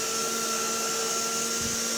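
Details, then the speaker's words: 1960 Electrolux Automatic Model G vacuum started after not running for a while; steady even motor whine with airy hiss, but little suction, owner thinks the bag is full: weak suction, cause unconfirmed. "I don't have a lot of suction so everything I think my bags full"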